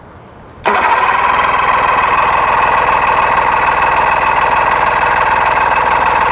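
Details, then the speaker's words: 1999 Johnson 70 hp two-stroke outboard that won't start, cranked with plugs hand-tight in and a spark tester fitted. Steady starter whir with fast, regular tester snaps but no firing. Good spark and compression on all three cylinders, so a fuel issue is likely. "Looks like we got good spark on 3 cylinders. Okay, so we got good compression in this engine. We've got good fire on all 3 holes."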